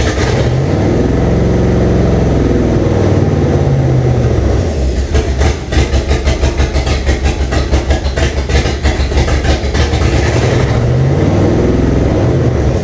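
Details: 1998 Jeep Cherokee with swapped 2005 5.3 LM7 V8 (706 heads, LS1 intake, reprogrammed computer, 4L60E), first start on a temporary fuel tank: loping, stumbling, surging rough running through open exhaust; cause not yet identified.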